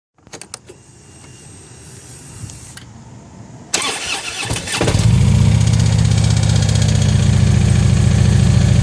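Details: Harley motorcycle engine: after a few starter cranks it fires and settles into a steady idle with an even knock, roughly three per second; unusual motor sound, cause unclear.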